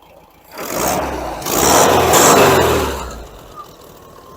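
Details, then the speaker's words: 1992 Mexican VW Beetle, carbureted air-cooled engine with points ignition: starts instantly, rises cleanly through a quick rev and drops back to an even idle; healthy, well-tuned. "just a quick start up and a little rev you can hear how nice this car sounds wow that started right up"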